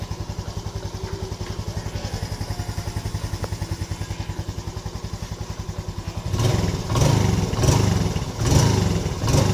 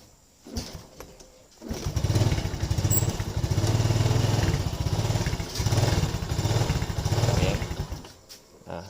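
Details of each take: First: Yamaha Lagenda 115 FI motorcycle engine, cold, idles with a steady, even putter then a few clean throttle blips after adjustments for a hard-starting, stalling, no-idle problem. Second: Yamaha Lagenda 115 FI motorcycle hard to start and won't hold idle: engine catches and runs in uneven surges, then dies; dirty throttle body suspected, fuel pump pressure checked next.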